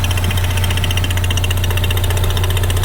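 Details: 2016 Ford Mustang EcoBoost direct-injected four-cylinder, which a shop called junk, idling with the oil filler open. Steady, even idle with a soft low pulse around 150 a minute from the filler: normal crankcase pulsing since the engine has no intake vacuum, not blowby.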